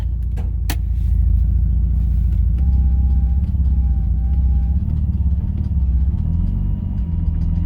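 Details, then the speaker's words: Manual 6th-gen Nissan Maxima with a four-inch intake, started after sitting: steady rough idle with a faint quick tick underneath, no pedal response; engine ticking, cause unknown, sounds better than the day before. "got some ticking coming from the motor no response coming from the pedal actually I got to say it sounds a lot better than it did yesterday when I moved it up to this spot"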